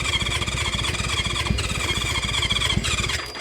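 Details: Sitting-for-years 1976 Honda CB550 four-cylinder motorcycle on electric start, choke tried on and off, throttle stuck: starter spins engine in quick, even pulses with a high squeal, never fires; cranks but won't start, compression check next.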